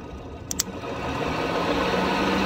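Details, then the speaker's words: BMW E36 with overheating, radiator fan rewired (bypassing the fusebox) so the medium-speed signal runs the fan at high speed: over a quiet idle, a rushing of air swells within a second and holds steady; radiator fan running at high speed. "speed. Whenever it would send medium speed or high speed through the wires, now it will turn the high speed on the fan."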